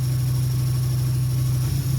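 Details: 2003 Dodge Neon 2.0 runs rough with no power after a timing-belt break and a rebuilt head. Compression is 190 psi on all cylinders, plugs are new and there is no vacuum leak. Loud, uneven, stumbling idle: misfire from a failed ignition coil.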